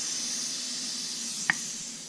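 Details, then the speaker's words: Nissan 240SX S14 with a KA engine that stalls, under a boost leak test at about 5–6 psi: a steady, sharp air hiss with one brief click as metered air escapes. "but that's probably the problem because that's metered air that's escaping when I'm at wide open throttle"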